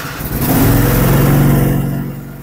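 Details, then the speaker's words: Dixon ZTR 54-inch mower after replacing a very dirty air filter and black-fouled plugs; it previously ran rough like a diesel tractor. Revs up smoothly, holds even throttle and eases down cleanly; normal running. "now well that sounds so much better"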